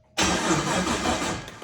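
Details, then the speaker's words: Turbo LS-swapped G-body Malibu on its first start attempt: under two seconds of starter cranking that never fires. It doesn't sound like it wants to hit, so a spare plug is used to check for spark. "Yeah, because it doesn't even sound like it wants to hit. You got an old spark plug sitting around here anywhere?"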